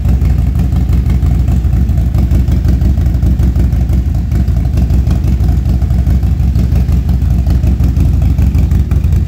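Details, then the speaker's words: Harley Street Glide ST with 135 build, stone-cold start after fixing engine noise with new lifters and new camshaft, before dyno tune; deep loud loping V-twin beat about three pulses a second, no tapping or rattle; normal cold start idle. "This thing's stone cold, too, guys. There's no editing trickery here. This is dead cold. This is cold start."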